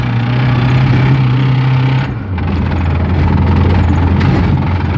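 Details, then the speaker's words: VAZ 2107 engine idling with an idle change midway and a loose, irregular tapping over it; knock from inside the motor, cause unclear. "Мотор стучит пиздец."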